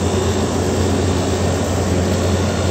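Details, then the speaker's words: Window air conditioner after the bad capacitor was replaced: the fan starts right up and the compressor starts immediately, both running with a steady low hum; previously the fan struggled and the compressor tried to start then stopped. "we'll turn it on here fans start it right up and the compressor started just right away so"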